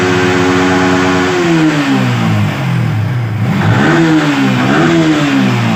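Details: Yamaha R15 V3/V4 single-cylinder engine, checked for engine and VVA noise: clean, smooth revs rising and falling through the range with no rattles or ticks; sounds healthy under throttle.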